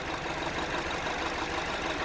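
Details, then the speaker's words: 2009 Honda Civic 1.8 16V with misfire, loss of power and high fuel consumption: lumpy, shaky idle that nearly stalls when a coil is unplugged, pointing to a chronic fuel injector defect. "ó motor vibrou bem mais a Mudou até a rotação [Aplausos] ó quase parou ó esse terceiro que você viu coloca uma rotação caiu quase morreu o motor"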